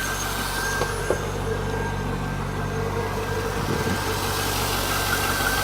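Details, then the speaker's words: 2000 C5 Corvette LS1 V8, 345 hp, 96,591 miles, oil pressure 40 psi, with automatic transmission: steady, even idle with a low smooth rumble and no ticking or knocking; healthy engine with no ticks or leaks. "engine is in top shape with no NOx or ticks or leaks"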